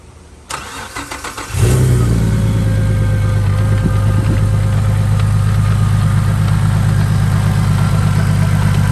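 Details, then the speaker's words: Saab after upgrading from a 57mm to a 62mm turbo and replacing a dry-rotted hose that leaked oil: first start after reassembly, about a second of cranking, then a steady, even idle with no misses or knocks. "so what we're going to do is pretty much fire it up check for leaks and everything and see how everything is working"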